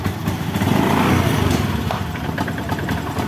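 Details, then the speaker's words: Beat ESP fuel-injected scooter at idle: uneven stumbling beat with irregular exhaust pops, a misfire that persists after bypassing the spark plug cap. TPS adjusted, fuel pump pressure good, CKP sensor checked, manual reset done; cause still unknown. "masih brebet knalpotnya ya kita pasang lagi tutup businya teman-teman ya"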